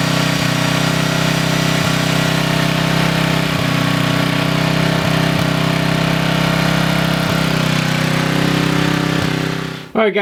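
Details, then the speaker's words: Coleman Maxa 5000 ER 5000 W generator after carburetor replacement: the engine holds a steady, even drone at constant speed for ten seconds, then cuts out abruptly; it runs smoothly and sounds healthy. "so as you can see here the generator did run I ran for about 5 minutes"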